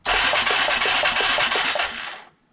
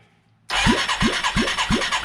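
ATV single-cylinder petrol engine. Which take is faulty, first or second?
second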